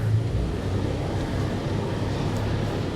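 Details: Toyota FJ Cruiser after refitting an unplugged immobilizer antenna coil connector (B2784 antenna coil circuit open) and clearing DTCs, fixing crank-no-start: low, even rumble with no knocks or misses; normal idle.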